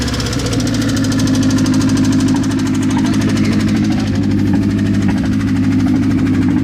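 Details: Mazda engine, started after sitting unused for a while, holds a steady idle with a loose, uneven knock about three times per second over the engine hum; cause of the knock unclear.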